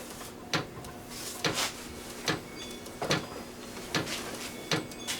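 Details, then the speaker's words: VEVOR 8 kW diesel air heater, cleaned after gumming up from burning waste motor oil, during startup with glow plug heating: sharp single ticks about every three quarters of a second over a low hum; fuel pump clicking normally. "that's crazy that is nasty now you can hear the fuel pump"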